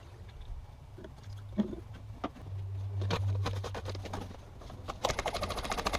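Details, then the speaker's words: High-mileage GX470 during brake fluid bleeding per the manual. A steady low electric drone with some clicking as the brake actuator pump runs normally; once it shuts off, bleeding can start. "Okay, so that's the sound you're looking to hear. That's the pump running."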